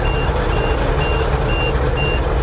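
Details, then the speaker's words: 427 dump truck with air brakes and a diesel, not run for a while, idling: quick repeating beeps, a couple per second, over a loud idle; the low-air warning sounds while brake pressure builds for a couple of minutes. "light's still on we got to wait a little bit longer says low air"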